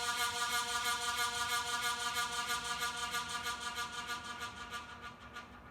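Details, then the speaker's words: Early-1980s ERS 56" industrial ceiling fan with reversible Universal K55-style stack motor, bent blades straightened, higher speed: steady reedy hum with even whoosh pulsing about three times a second, slowly fading; normal motor vibration through the blades. "And that sound that you're hearing is just the vibration from the motor radiating through the blades."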